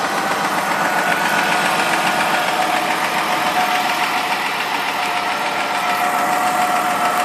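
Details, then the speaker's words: 2002 Ford Escape, 143k miles, hot engine idling roughly with stumbles three to four times a second at low idle, engine visibly shaking; check engine light with cylinder 1 misfire code P0301 and earlier running-rich code; owner had clamped a kinking vacuum hose. "pretty smooth until it gets down to the low idle you can already start to com [Applause] it's kind of tripping out right now I can't really tell on the camera but the engine's moving quite a bit has these little fits now and again"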